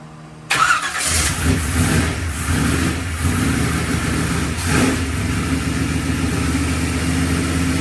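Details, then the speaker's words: V8 with new orange ported air-gap intake, fuel pressure set on standalone, WOT switch tested; cranks, catches quickly, settles into steady lumpy rumble without misses or knocks; works flawlessly. "It works. It works flawless."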